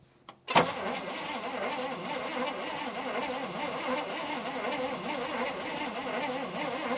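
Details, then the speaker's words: 1974 International Harvester 500 V8 running on propane, abandoned about 17 years: an even starter churn for about six seconds with no firing. Weak spark found; low voltage or a starter issue is suspected. "don't think we have any spark I'm gonna go ahead and have you just put your finger on here while I crank it over"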